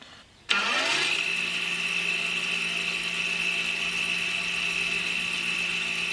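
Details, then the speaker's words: Audi A4 B8 (2007–2015) rear electric parking brake motor, fed directly to retract the caliper without a scan tool: spins up to a steady high whine with no grinding, stopping when fully backed out; normal operation. "So that ran for about 10 seconds and it came to a stop when it was fully backed out."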